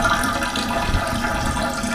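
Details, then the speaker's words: Sink pop-up drain with stopper closed: steady rush of water trickling away under the stopper with no let-up; stopper not sealing, drain leaking, stops when stopper is touched. "the water draining out right down here but if you touch it it stops so what we got to do now is we're going to find out why this stopper is not working"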